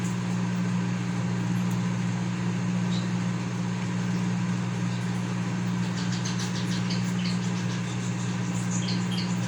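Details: Consul CM020 20-litre microwave after magnetron replacement (previously loud noise and no heating), heating water for one and a half minutes, water ends up very hot. Steady low mains hum with even fan whir, no buzzing or arcing; normal running.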